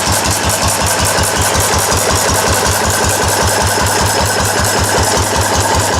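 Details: Restored four-horsepower Cushman binder engine with wide flywheel and original paint and tank, test run after restoration, started stone cold; even single-cylinder beat about 158 per minute with crisp regular exhaust pops, running smoothly.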